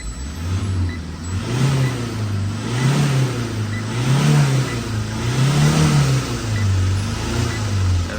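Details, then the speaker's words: Tata 2.2 140 diesel, reported poor power, check-engine and battery lights, alternator not charging: revved repeatedly, revs surge unevenly and engine shakes from air in fuel system; after bleeding fuel, revs smoothly past 4,000 rpm. "เบิ้ลนะฮะดูมันแปลกๆเครื่องสั่นนเิแรงๆเครื่องสั่นแล้วก็จะอ่าแล้วก็นิ่งอืแปลกๆนะฮะ"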